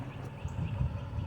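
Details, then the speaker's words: Rebuilt HEMI Chrysler 300 after the cylinder head was reinstalled: a lumpy, uneven low V8 rumble with dropped beats; still misfiring, cause unknown, though it drives without issues. "I fixed the sunroof panel so that's not weird anymore it's still misfiring"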